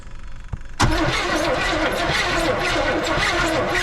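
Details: Chevrolet Suburban 454 big block that sat for years, plug wires checked and a little fresh gas in the tank: after a quiet moment the starter churns steadily but the engine never catches; cranks, won't start.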